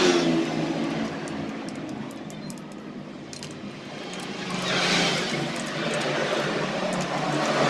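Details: Honda Supra 125 motorcycle after repairing a broken ignition wiring path (lost spark): engine catches and runs, then a clean rising rev around five seconds with no stumble or misfire; ignition restored, normal running.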